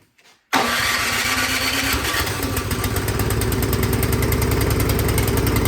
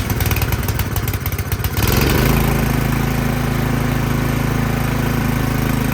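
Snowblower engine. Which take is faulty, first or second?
first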